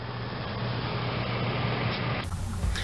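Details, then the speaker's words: RV rooftop air conditioner (Recreational Vehicle Products) on a 2006 Fleetwood folding camper, 115V fan motor on low: it hums and won't start, and runs with a steady hum only after a screwdriver spin. Classic open start capacitor. "so this is pretty much a classic start capacitor issue on 120 volt 115 110 whichever the way you want to put it AC motor"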